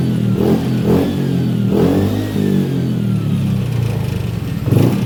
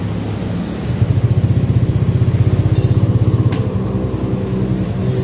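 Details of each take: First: Honda Beat FI scooter on its stand after a TPS reset/adjustment procedure (no fault codes stored): the engine pulls up cleanly through several blips and settles without stumbling. Throttle response is smooth and even. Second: Honda Beat FI scooter on its center stand, hesitating up to 40 km/h. The idle throbs unevenly; fuel pump pressure reads a normal 45 psi. TPS sensor and fuel pump filter replacement are being considered. Rough idle, cause not yet found.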